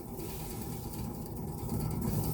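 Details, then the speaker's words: 2012 Fiat 500 1.4L SOHC non-turbo automatic, driver's-side rear wheel spun by hand on a lift: steady low gritty rumble with faint ratchety texture; hub bearing rough and has play, worse than the other side, being replaced. "this thing sounds pretty rough as well. But this one is considerably worse. The reason being is it's got some play."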